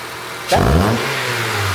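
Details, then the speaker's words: Acura TSX Wagon K24 with no intake, after VTEC actuator replacement and cam retiming: quick free rev climbs cleanly, sounds throaty, drops back to a steady, smooth idle without misses or tapping; everything sounds great, normal revving and idle. "That sounds very throaty for no intake. K24, baby. >> It's finished. It's running. Everything sounds great."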